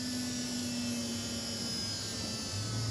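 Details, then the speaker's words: 1986 Bertone X1/9 electric fuel pump manually powered via switch after fitting new fuel filter, checking for leaks: steady buzzing hum whose tone drops and settles as empty lines fill, then fuel heard returning to tank; normal priming. "Potentially could leak, so we're just going to look for that, see how it, you can hear it prime, you can hear it get louder, or quieter"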